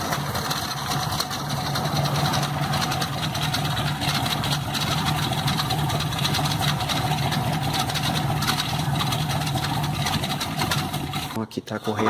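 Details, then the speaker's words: VW Beetle (Fusca) air-cooled engine idling: steady with a faint high whine and light rapid chatter from the dried, cracked, glazed drive belt, confirmed as the noise source. "isso já já faz bastante tempo que eu fiz um vídeo mostrando que o barulho era proveniente da correia né"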